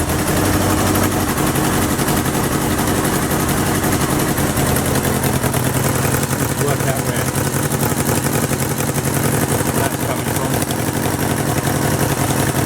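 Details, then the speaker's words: 1977 Kawasaki KZ650/Z650 B1 four-cylinder, air screws 2¼ turns out (manual says 1½), second-hand starter fitted; ragged, uneven popping idle with irregular bursts and puffing exhaust leak; four carbs still need syncing. "still need to be synced that's great news"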